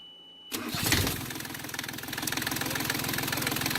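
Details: Yanmar 3GM diesel in a Hunter 35.5 sailboat after throttle cable replacement and idle screw readjustment: short crank, catches and settles into an even clatter with steady rhythm, idle holding just under 800 rpm; normal start and idle.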